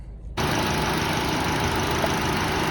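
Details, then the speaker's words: Chevy HHR Ecotec with check engine light, P0300 and new coils, slightly low on coolant, idling slightly unevenly with a faint stumble from a misfire in cylinder two; head gasket suspected, no other blown-gasket signs seen. "looks like number two is uh misfiring a little bit so number two number two does have a misfire we do have a misfire in cylinder number two"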